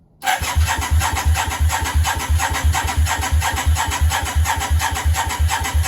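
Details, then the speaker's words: Yamaha Virago 535 cranking on a start attempt after manifold work: even compression beats about three a second but it never fires; spark confirmed earlier, strong fuel smell, possibly flooded with too much fuel. "definitely smells a lot fuel we had spark earlier just turning over"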